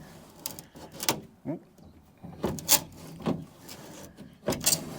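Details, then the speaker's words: 1980 Dodge W150 plow truck passenger door with used window glass fitted from 1989 W250 junkyard door, weather stripping shot and window felt brittle; rough scraping and crunching as glass is wound, metal or glass rubbing; window glass scraping. "Where is the crunch? Or is it that metal scraping? Can't tell if there's stuff."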